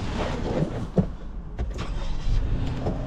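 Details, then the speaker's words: 2018 Toyota Sienna with replacement engine, crank-no-start fixed by tightening a loose 10 mm bolt connection that stalled it when touched: engine catches straight away and settles into an even, steady idle with no stumbling or misses. "Starts right up."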